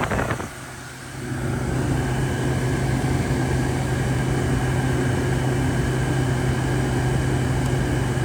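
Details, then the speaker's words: Used, deep-cleaned Frigidaire window air conditioner blowing not-cold air: only a steady fan rush and low hum, with no compressor cutting in. Owner doesn't think the compressor has kicked on; cause unconfirmed. Compressor not running. "And to me, it doesn't sound like the compressor has kicked on."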